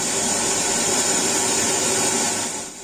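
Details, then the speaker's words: Denon AVR-X2100W receiver, in for no sound and no video, tested on analog input: loud thin hiss with almost no bass, like an off-tuned FM radio, so the analog output is noisy; cause not confirmed. "இது அனலாக்கு, ஆனால் எஃப்எம்மில் இருக்க மாதிரி வருது பாருங்கள் sound. ஆனால் இதில் வந்து சாங்கு போயிட்டுருக்கு, எஃப்எம்மில் வர மாதிரி தான் வருது."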